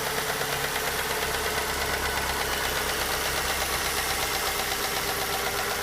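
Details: 2006 Ford Fusion G1, about 98,000 km, idling: steady idle with a light, fast toc-toc tick easily mistaken for engine knock; actually comes from the intake manifold (small hose/tube), not the cylinder head or valves.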